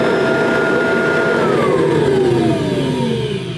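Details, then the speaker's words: Kirby Tradition vacuum cleaner running without the agitator: steady high motor whine holding pitch, then winding down smoothly as power drops, no rattle; motor sounds fine, normal run. "anyway that's what it sounds like without the agitator so to me I'm not Kirby expert to me that motor sounds fine"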